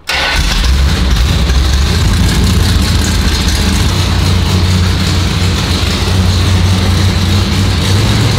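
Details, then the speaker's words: 340 Plymouth Duster on its first start after sitting 22 years. It cranks and catches, then runs with a loud, lumpy, uneven chug like a tractor instead of a smooth V8 idle; rough running engine. "God God it's sounds like a tractor who that's a problem"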